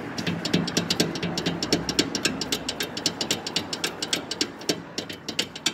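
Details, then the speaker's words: 2011/2012 Mercedes E350 W212 on lift, front tire braced, driver-side stabilizer link moved by hand; quick knocking clunks, about four a second, with each push, other ball joints without play: stabilizer link clunk. "그래서 이쪽 보시면 요거 이제 할때 링크, 요게 이제 할때 링크인데, 요거를 제가 이제 움직여 볼게요. 한번 보세요. 소리 들리시죠?"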